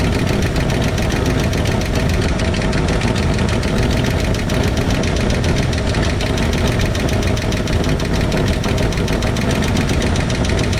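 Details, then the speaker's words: 1968 Ford F100 V8 running at idle with the valve cover off: a fast, steady clacking over a rough low rumble from the exposed rockers as each is loosened until it clacks during valve adjustment; valve train clatter. "I'll loosen up each of these until it clacks. When it starts clacking, you want it to clack just for a little bit. You want it to clack just for 10-15 seconds."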